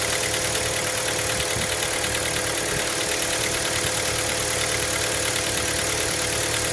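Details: Hyundai Elantra MD 1.6 at cold idle: a light, regular knocking near three beats per second sits over a busy engine hum, a cold-start knock.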